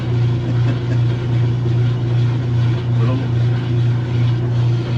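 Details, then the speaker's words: Kenmore top-load washer that agitates and drains but won't spin, lid switch bypassed; motor hums steadily with slow soft pulse while drum barely picks up speed; weak spin from worn clutch shoes. "Now when we put it to the spin, it's starting to move a little now."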